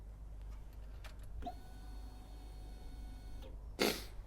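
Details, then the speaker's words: Honda CBR1100XX Blackbird motorcycle with reworked fuel rail feed fitting, ignition on before starting: quiet, steady electric hum for about two seconds, then a click as it cuts off; fuel pump primes normally, no leaks. "Turn the ignition on, you'll hear the fuel pump run, and we're just checking to make sure we've got no leaks on this."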